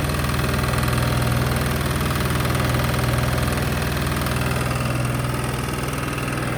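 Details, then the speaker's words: Sykes GP80 water pump, Lister TR1 diesel, cheap auction buy, first run: steady even low chug with regular beat, no misses or knocks, something rattling on the floor; normal idle, charging at 14 V. "I'm actually over the moon with that albeit loud as something that I won't say um that was rattling on the floor which was making the whole building feel like it was moving"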